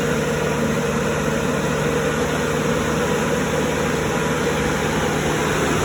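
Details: Cummins 3.3 QSB diesel from a stump grinder, run after rebuild with pistons, rings, rod and main bearings and head gasket (had oil from the blow-by tube), Insight connected: steady, even idle, low constant drone, no knocks, misses or rattles. Normal idle.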